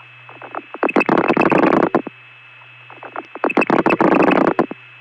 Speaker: these digits here's a one for example every pulse ends up making that relay ring on the line that's calling me